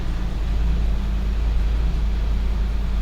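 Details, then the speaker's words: 2007 Chevy Corvette C6 with LS2 400 hp engine and 260,000 miles, started on a jump pack after sitting unrun for a while: deep, steady, smooth idle with no ticks or stumbles, running very well. "there it is it's actually running very well"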